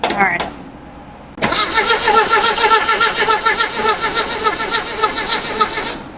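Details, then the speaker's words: 1972 Datsun 620 pickup, long unrun, dual points with Super Fire Superstock coil: even starter churning about three and a half beats a second for nearly five seconds, never catching; still barely enough spark, no start. "we got a dual set of points here and we got a super fire racing superstock Richard Petty Edition coil on there and we still barely got enough spark wouldn't even wake"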